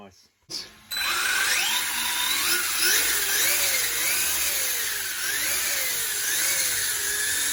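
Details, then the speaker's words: Maverick Strada XT RC car on a test run after repair of pinion and spur gear misalignment and loose outdrive grub screws: motor whine rises and falls smoothly with throttle, no clicking or grinding, gears meshing cleanly. "i'm going to show you that running nice and smooth now with the the pinion and the spur gear that's running really"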